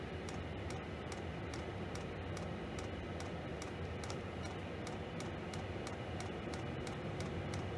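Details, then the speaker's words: Diesel heater at power level 6 compared against a propane heater: crisp, even dosing pump ticks about 2.5 per second over a steady fan rush; fuel pump metering normally. "I am going to turn that up to level 6. So that will heat up. You can hear the fuel pump heating up quite a bit."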